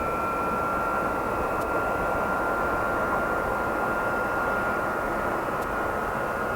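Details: Boeing 707-358C 9Q-CVG (Pratt & Whitney JT3D-3B engines) taking off from Oostende runway 08, late 1996, after an earlier aborted attempt with compressor stall; steady roar with constant high whine, no bangs; normal takeoff.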